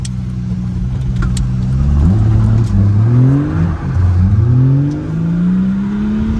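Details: BMW 3.0d M57 diesel after dual-mass flywheel replacement fixed clutch slip: engine pulls hard in gear at full throttle, note rising steadily with road speed, no flare or sag; clutch holding fine.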